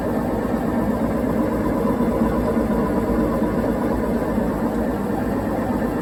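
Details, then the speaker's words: Whirlpool WTW4815EW1 top-load washer during intermediate spin while rinsing: steady deep roar with low hum, no banging; very noisy spin, suspected bad bearings, not confirmed. "Yeah, they are right. That thing is very noisy during the spin cycle."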